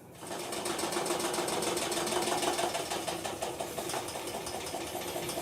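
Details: Electrolux LTE06 6 kg washing machine entering spin: fast regular clacking about three per second as the drum winds up and struggles to spin; a dented tooth on the pulley clutch isn't engaging.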